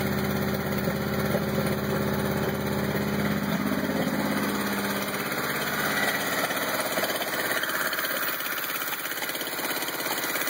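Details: 1986 Honda CRX engine at idle: the idle sways and stumbles, its beat wandering rather than holding steady, over a dull low rumble; the engine is running rough.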